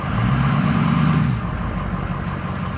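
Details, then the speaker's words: Ford 6.0 truck after replacing a dry, noisy driveshaft U-joint that caused clunking and grinding: engine hum drops smoothly shifting neutral to drive, no clunk or knock; normal driveline engagement. "No more clunking when you put it from neutral to drive. Nice and smooth, but"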